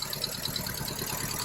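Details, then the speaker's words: 1961 Triumph TR3A during restoration, warming up at a steady slow idle around 550 rpm with even pulses and no knock or miss, about 55 lbs oil pressure, gauges working; coolant hose and fuel line clamp leaks noted; idles normally. "all right so I've got it running and it actually idles pretty good sitting there idling at about 550 RPMs maybe all the gauges are working about 55 lbs of oil pressure"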